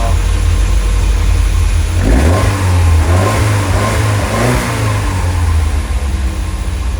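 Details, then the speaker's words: Lotus Elite back in life a decade after being laid up in a barn, with good oil pressure and charging. A smooth, even idle picks up cleanly on a couple of blips and settles back steady. "So a decade later, she bursts back into life."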